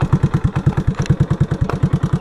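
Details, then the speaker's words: Terry 110 engine with improved compression and good valves. A fast, even tapping rides on the idle thump like a sewing machine needle, ticking fiercely; the valve lash is too loose and needs adjusting. "can hear it, man. Listen to that tap tap tap tap tap tap tap sewing machine needle. So I definitely need to adjust those."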